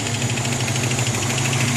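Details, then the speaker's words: A 1982 Toyota 4WD 22R engine idles just after a valve adjustment (0.008 intake, 0.012 exhaust) with quick, even light tapping in time with rpm. It seems to come from the back of the motor, and the owner suspects the valve rockers. "and I don't know if you can hear that like kind of knocking noise. I'm pretty sure it's somewhere or something to do with the valve rockers or something. It does sound like it's coming more from the back of the motor."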